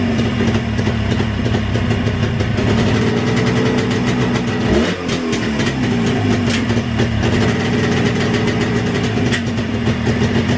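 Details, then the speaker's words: 360 two-stroke engine, JAWA/ČZ motorcycle, restarted for a short run before strobe timing checks; crisp idle that picks up cleanly when blipped and settles back evenly; running beautifully, carburetor very good. "ну и как двигать камеру работает вот движок работает просто красота ну просто красота"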